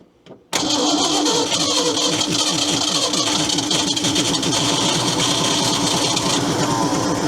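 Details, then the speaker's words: Ford F800 crane truck whose engine was formerly locked up, with gasoline dribbled by hand through the carburetor vent into the fuel bowls. A long crank with steady fast starter churn and occasional catches as the engine struggles to fire. "Well, if you can get her fuel, she seems to run. I hear things doing stuff in the carburetor."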